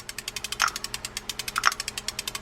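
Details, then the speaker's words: Old Penn Gold Series fishing reel cranked: fast regular clicking about ten per second, heavier knocks on each downstroke and visible spool wobble; spool bottoming out, usually a loose, worn or missing Teflon washer under the drive, an easy fix. "can hear it on the downstroke of the spool. You can actually see the spool wobble a little bit. That generally means that Teflon washer that's under the drive has come loose, gotten worn, is not there, whatever."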